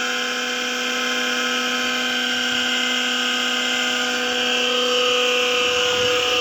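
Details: Kawamoto NF2-150SK well pump, missing parts including the white plastic cover and with a repaired power cord: a steady high whine with several fixed tones and a hissy edge over the motor run. Abnormal motor noise, cause unclear.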